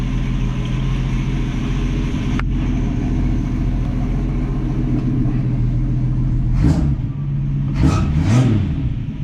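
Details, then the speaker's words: 1965 Mustang straight-six after carb bench adjustments (choke plate, tang) and heat riser tube reconnected, idle set around 800 rpm: steady idle, then three sharp revs returning to stable idle without stalling; normal throttle response. "nope she doesn't want to stall that is awesome [Music] good idle the timing's good the choke looks like it's working properly now"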